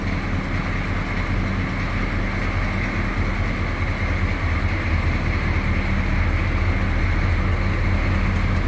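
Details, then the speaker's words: 1982 Chevrolet C10 Silverado 6.2 L diesel pickup recorded from the rear: steady low diesel clatter at idle, even and unbroken with no misses or knocks; normal idle. "Slip around to the back so you can hear this run. Gotta love that sound."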